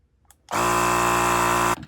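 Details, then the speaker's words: Clik Valve on a bike tire, tested after cleaning a wad of tubeless sealant out of the clogged valve. The pump buzzes steadily for about a second, then cuts off cleanly at its set pressure. "There. Kept the right pressure. I don't hear any leaking. So, I think that repair actually worked."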